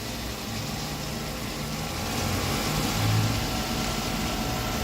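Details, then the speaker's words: 1997 Mercedes-Benz 500SL V8 at cold idle on pre-purchase inspection, no engine lights: smooth, even idle with a fan whoosh on top and a slight tick attributed to the ABS unit, no misfire or knocking. Runs healthy. "I'll go to the engine right now. It does run pretty smooth."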